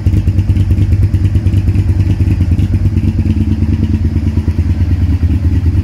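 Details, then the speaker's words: Honda VTR V-twin motorcycle with 41,000 miles, newly bought; deep, lumpy V-twin beat at steady rate, strong even exhaust pulse, no knocks or clatter; normal running. "and I'll do a video of it starting up, and I'm sure you will like the sound of it. They do sound lovely."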